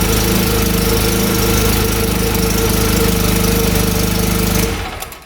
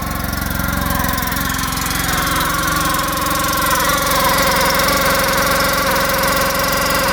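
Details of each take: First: 2014 Polaris RZR 800 UTV bought rough, run with the drive belt removed to rule out the transmission: steady, even engine drone with a regular beat, no rubbing or scraping; runs clean, sounds much better. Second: 2014 Polaris RZR 800 that sat a couple of years, with milky oil from coolant mixing and a new clutch and belt: steady idle with a fast, uneven rubbing rattle. Clutch rubbing its plastic cover; seller thought the new belt was squealing.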